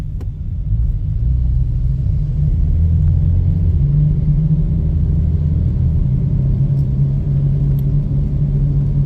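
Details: 2010 VW Golf City driving: deep steady rumble droning under the car, suspected worn wheel bearing, not confirmed.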